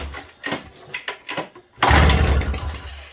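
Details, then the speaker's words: 1987 Toro CCR 2000 snow blower after carburetor replacement, with the choke held by baling wire. Several pull-start strokes, then it catches briefly and sputters out. The owner is unsure about too much choke or how the primer works. "Kinda wants to. Too much choke? No. I don't know how the hell this primer works."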